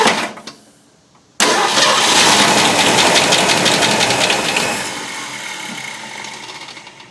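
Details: 1965 Ford Mustang with points distributor, primed with fuel and almost no fuel in the tank: it fires and runs briefly, then fades; fuel starvation, the line was found blocked at the tank and the pump eccentric is suspected.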